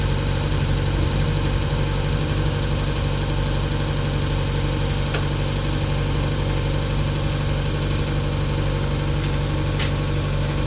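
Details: Mk1 Mazda MX5 after clutch work and a 4-2-1 exhaust manifold fitted: steady, even low engine drone with no knocks, ticks or exhaust rasp; smooth, healthy running and much quieter than before.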